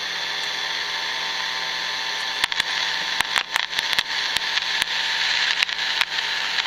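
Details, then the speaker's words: Emerson 336 AC/DC tube radio: steady hiss with sharp pops and crackles still bursting through the speaker every fraction of a second, though much improved after work; pilot light very bright. Owner suspects silver mica disease; cause unconfirmed. "still getting pops and crackles I point to that's a lot better but look how bright that is"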